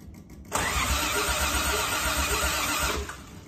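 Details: Old Toyota Crown, engine trouble: starter churns steadily for about two and a half seconds and stops, the engine never fires or catches; crank, no start.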